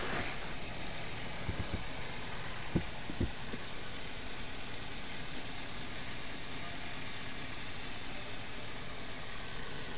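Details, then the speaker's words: Car engine after overhaul for a misfire and no-pickup problem, first start: steady even idle with a smooth low hum and no knocks or misses, revs a bit high pending tuning; light smoke from spilled oil, running well. "খুব সুন্দর চলতেছে। Sound একটু বেশি, race বেশি আছে এখানে, কারণ first time start করছি। আর এটা টুনিং করলে ঠিক হবে।"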